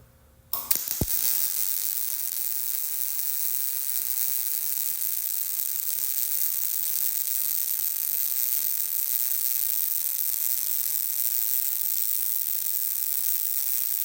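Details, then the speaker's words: MIG welding a test bead on scrap metal before welding a truck exhaust pipe; a steady, even crackling sizzle like frying bacon, indicating correct welder settings. "And that sounds pretty good. Got that nice sizzling bacon sound."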